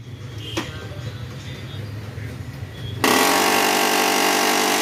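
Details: Canon imageCLASS 6030b printer not working: a few faint ticks, then a loud, harsh whirring rasp pulsing about four times a second, abnormal mechanism noise.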